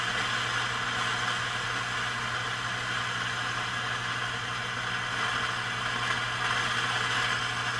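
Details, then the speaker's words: Heathkit T-3 signal tracer in noise mode before repair; constant loud hiss with low hum, changing pitch and intermittent crackling, same in tracer mode, the amplifier sounding grungy at the bottom end, cause not yet found. "Really hear it starting to crackle there. So this is kind of an intermittent-y hiss kind of thing going on."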